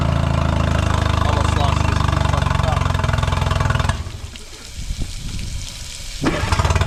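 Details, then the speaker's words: 2008 Honda 20hp four-stroke tiller outboard, first run after restoring a seized motor: quick, slightly uneven pulsing that sags and stumbles when throttle is eased slowly; rough running, carb to be cleaned, boot leaking, cause unconfirmed. "Every time I do a throttle really slow, [Applause] it's not quite running right."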